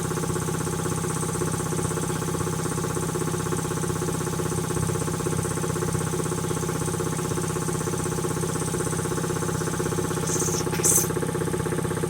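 Even, steady pumping at about three strokes a second with a constant hum, no knocks or rattles; the compressor runs smoothly.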